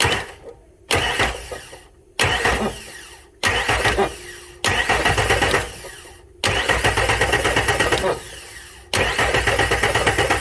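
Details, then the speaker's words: Ford F150 that won't start after the owner swapped parts without diagnosis (possibly a theft system cutting fuel), cranked via a remote starter button: repeated cranking that never catches, with a hard clunk. "now just listen to this thing as it cranks [Music] you hear that and also that noise too that there you hear that clunk"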